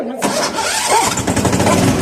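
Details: Bad Boy mower after its repairs: a short crank, then it catches on choke and runs with a rough, uneven rumble before settling into steady firing. It now starts normally.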